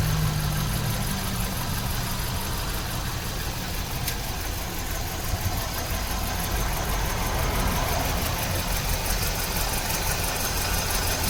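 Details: 2006 Kia Rio, 126,079 miles, idling: uneven with irregular stumbles and dips roughly every third of a second; random misfire.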